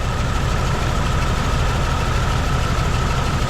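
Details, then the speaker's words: 1999 Jeep Cherokee XJ 4.0 idling during test-light check of plug wires: steady but lumpy, uneven idle; cylinders 3 and 4 dead, blown head gasket between them. "okay there's three there's four we have a bad head gasket between them those"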